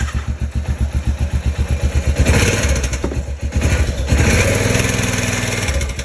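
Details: 2005 Honda Rincon 650 ATV after timing chain tensioner replacement: even cranking, clean catch, smooth revs with none of the earlier loud startup rattle; healthy start and run, repair appears to have fixed it.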